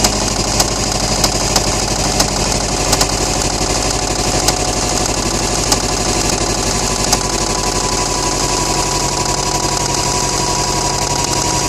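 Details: 2008 Subaru STI at idle: sharp, loud, repetitive metallic knocks over a busy idle, deep hammering of a worn connecting rod bearing; engine was later rebuilt.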